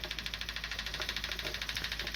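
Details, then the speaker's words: Old, tired electric fuel pump running while draining a gas tank of 91-octane fuel left since 2012: a high, raspy whir pulsing about eleven times a second, uneven and strained. Suspected worn pump, not confirmed. "I feel so bad for this fuel pump that thing is just sitting there"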